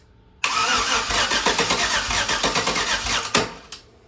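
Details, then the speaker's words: LS 5.3 V8 for a Nova swap, base-tuned with HP Tuners and run on the garage floor: steady starter cranking with irregular weak "bloop" pops that never catch. With the intake manifold pulled, only one injector was firing; another injector set fixed it. "We pull the intake manifold off, crank it with the intake manifold off, and it's firing a single one injector. So that's why it was going bloop, bloop, bloop."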